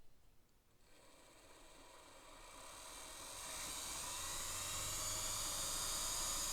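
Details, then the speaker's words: Singer Spartan sewing machine motor with needle bar disengaged, as if winding a bobbin, run up to full speed then eased back: smooth, even whir rising to a steady high pitch with no rattle or grinding; motor runs normally, nearly as quiet as a Singer 201. "That's full speed. And coming back. Coming back. I'm just easing up. You know, it's interesting. This motor is almost as quiet as the one on a 201."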